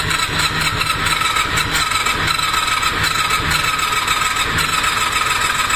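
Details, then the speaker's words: Honda VFR400R NC30 V4, bought non-running, started with and without choke on good-looking fuel; loud ragged stumbling beat, running on only some cylinders, owner thinks maybe just one; spark plugs then found in bad condition. "Nada, ni hostias. Es que yo creo que no va ni un cilindro, ¿eh? Uno, justo."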